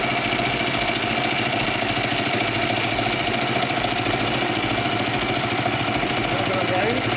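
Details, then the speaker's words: Kawasaki Vulcan 500 twin at working temperature, after carburetor repair and synchronization: even, steady idle with a smooth beat and no misses or hunting. Carburetors balanced, running perfectly. "Pues nada ya está la moto sincronizada los carburadores va perfecta"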